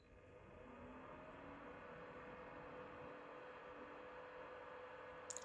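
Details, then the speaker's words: Tabyik 35oz dehumidifier, a few months old and used in a bathroom, before the fan swap: constant loud low whirring drone with a steady hum and no rattles, audible from the kitchen; the fan grew louder over weeks. "not crazy loud, but it's loud enough to get annoying and to hear it drone on from the other room."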